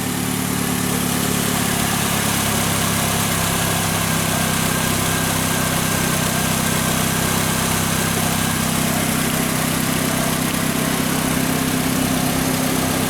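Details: Fiat Linea brought in for an engine noise when cold. A steady, even idle with a smooth low hum and no knocking or ticking; the engine sounds healthy at idle.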